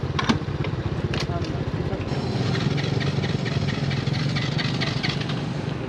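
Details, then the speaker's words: Small motorcycle in Malaysia that stopped working after long near wide-open-throttle highway riding: quick steady cranking with rapid even churn that never fires; riders feared engine failure, spark present so fuel suspected, unconfirmed. "Hear that fast-paced cranking? Andrew and I immediately assumed the worst, pointing our thoughts towards engine failure."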